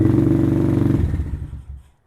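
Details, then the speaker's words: Venom Thunder 125cc dirt bike, Nibbi carb, still cold after sitting about 1.5 months: quick, even single-cylinder putter, then shut off with the handlebar stop button, cutting cleanly to silence; normal running and shutdown. "As you can hear, my bike fires right up, and it's been sitting for probably about 1.5 months, and it was cold when I fired it up."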